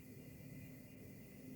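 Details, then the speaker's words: Desktop PC (Ryzen Threadripper 1920X, X399 Pro Gaming, Arctic Freezer 50, RX 6700 XT, Thermaltake 850W PSU) with a steady low electrical buzz left of the CPU cooler, possibly near the Wi-Fi card; stopping every fan doesn't stop it, and games freeze when the buzzing stops. "it's not the fan I've tried stopping every single fan manually just like doing that and it doesn't stop the buzzing"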